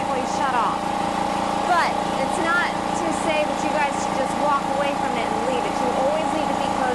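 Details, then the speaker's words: Air Venturi Personal PCP compressor filling a tank, automatic shutoff at 4,500 psi: steady even mechanical hum at constant pitch, no knocks or rattles; normal operation. "Automatic shutoff, so once it reaches 4,500 psi in this tank, the compressor will automatically"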